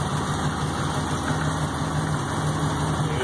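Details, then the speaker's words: 1951 Chevrolet 3100 pickup, Art Morrison chassis, supercharged LSA crate V8: deep even rumble with soft steady pulse, no ticks or knocks; smooth healthy idle, just purrs. "or just purrs see if I can rev it up for you"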